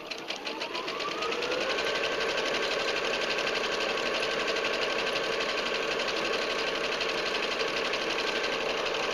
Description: This video is to show how nice this machine runs.